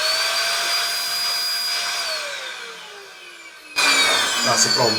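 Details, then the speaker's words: Shark DuoClean corded stick vacuum, switch actuator earlier repaired with Blu-Tack, cutting out when connected to base: steady high motor whine, then pitch sags and dies away as it switches itself off; cause unclear. "I didn't touch that button again. That automatically switch itself off."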